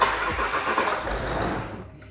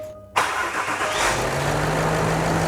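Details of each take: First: £600 luxury 4x4 with low coolant and an oil leak: starter churns unevenly about two seconds without a clean catch; sounds better after a jump pack. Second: oh that's better sounds better now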